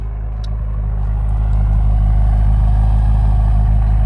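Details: 2017 BMW M6 F13 on its factory exhaust at idle, before aftermarket exhaust install; deep steady even burble, no misses, knocks or ticks; normal idle.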